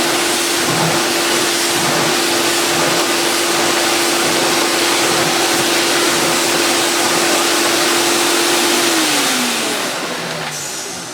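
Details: Refurbished Electrolux 4x4 model 4460 vacuum after restoration: smooth, even high-pitched motor roar at one steady tone, winding down at switch-off; motor healthy and working very well.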